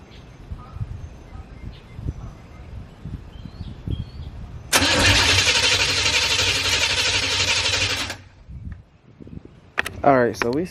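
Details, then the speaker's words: Corvette after new spark plugs, fuel dampener and EGR valve work; starter cranks about three seconds with steady churning, never catches. Owner suspects fuel-related problem from fouled plugs. Crank no start. "couldn't get the car to start for some reason which it does indicate that they had a foul part plugs so it is a fuel related problem"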